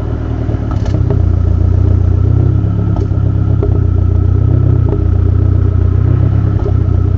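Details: Dodge SRT-4 petrol engine idling roughly: deep exhaust note stumbling and surging every second or two, a strange misfire with idle issues.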